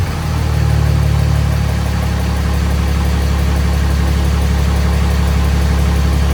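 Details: Freshly swapped 6.7 Cummins diesel in 2nd-gen Mega Cab, first fire after two cranking tries: deep, steady rumble at even idle with no knocks, misses or hunting; running really smooth.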